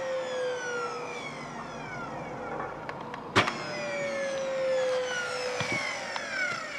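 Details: Dyson DC40 vacuum running with a wailing, siren-like whine that slides slowly downward in pitch; cause unknown.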